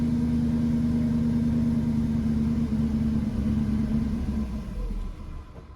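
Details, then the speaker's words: 2002 Northstar, previously misfiring (P0300/P0121), check engine light on, little gas poured in because of a fuel leak: a steady, even low rumble with no surging or stumble before it fades; a normal idle. "But we just poured a little bit of gas in there because it's already leaking. Start running time. Big time improvement."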